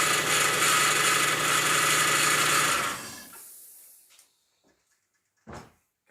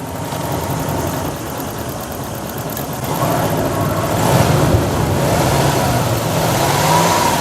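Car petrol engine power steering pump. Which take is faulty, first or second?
first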